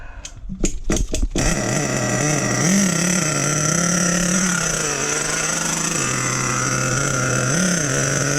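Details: Nitro RC truck with OS number 8 glow plug, flooded with fuel: a few sharp bangs as it fires, then a buzzy high idle, idle screw up half a turn, wavering slightly in pitch but running steadily.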